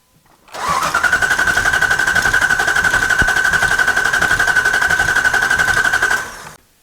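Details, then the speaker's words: 2005 Dodge Ram 2500 with P0301 cylinder 1 misfire, audible compression test with mic on engine: about six seconds of steady even cranking, no weak cylinder, though a possible rhythmic mechanical clunk was suspected. "all right well uh surprising to me there was no issue on the compression sound as far as I thought"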